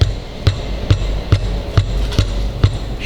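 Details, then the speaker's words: Nissan Livina raised on a lift: rubber-mallet taps on a front brake caliper bring out a hollow clunk and short metallic rattle from the loose caliper. Over bumps this noise gets mistaken for the skid plate or steering box. "esse barulho esse sua vibração não aparecendo que tem uma lata solta pensa que a protetor de cárter pensa é a caixa de direção pensa muitas coisas mas esquece de uma delas que é essa daqui a pinça de freio"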